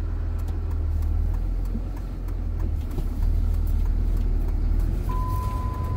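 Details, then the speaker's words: Diesel truck driving after transmission reinstall (redone for camshaft oil leak); steady engine drone, turbo audible, road rumble, no gear whine; manual transmission now nearly silent. "now you don't hear the transmission anymore you hear the engine I can hear that turbo over there I don't know I mean it's it's way quieter than it was before like almost dead silent transmission"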